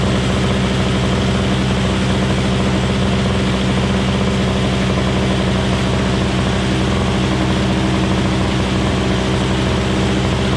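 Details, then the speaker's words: Craftsman 21" 5 hp two-stroke Tecumseh single-stage snowblower after carburetor cleaning and a tune-up: a steady, even drone with no misses or pops, now running off choke after banging loudly on partial choke. It is running clean. "man oh man that thing sounds like a gunshot going off when it was running on a little bit of choke but I took the choke off and then it cleaned up a little bit it needed some time to run"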